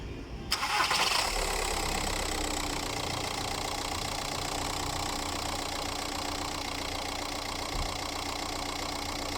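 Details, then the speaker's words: 1.9 TDI diesel first start after dual-mass flywheel replacement (repair of odd flywheel noise at shutdown, CV joint boots also renewed, fault codes cleared): engine catches quickly after brief crank and settles into smooth, even idle, normal start and idle. "vamos a darle su primer arranque enciende el motor"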